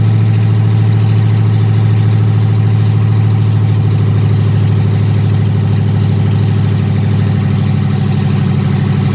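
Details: Dodge Hellcat Magnum supercharged V8 after TCM repair and new fuel line, idling on open headers with no exhaust: loud steady low drone, even beat, no knocks or rattles; clean healthy idle.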